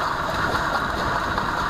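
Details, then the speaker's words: Mercedes E320 CDI driveshaft, disconnected from the differential and transmission and spun freely by hand at the flange: a rough, steady grinding whine, then silence, from a worn center support bearing; traced during a long-running driveline vibration hunt. "that means that your bearing is definitely bad"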